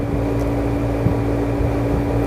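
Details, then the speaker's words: Window air conditioner running with thermostat set about 20–21: steady low hum, constant mid-pitched tone and even fan noise, no knocks or rattles; compressor and fan running normally. "अभी तो हमारा चल रहा है लगभग 20-21 पे चल रहा है अभी टेंपरेचर 21 पे"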